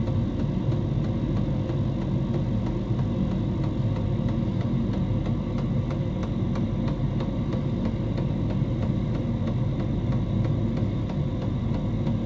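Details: Diesel heater in a homemade fox box at full temperature, 87 °C at the heater pipe outlet: steady low hum with regular fuel-pump tick about twice a second, unbroken; burning cleanly at full output.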